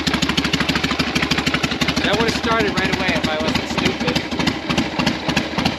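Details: 1982 Yamaha XS650 Heritage Special, stored 3 years, no-start fixed with Gonzo DIY TCI ignition mod: even steady putter at idle, regular firing beat, no misses, knocks or rattles; normal idle.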